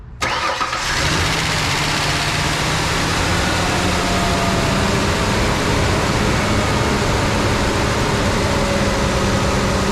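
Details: Rebuilt 4.0 Ford Ranger, started after fresh oil, new accessory drive kit and correct water neck, not yet at temperature: brief crank, catches at once, steady even idle with no knocks or ticks; exhaust flange leak noted.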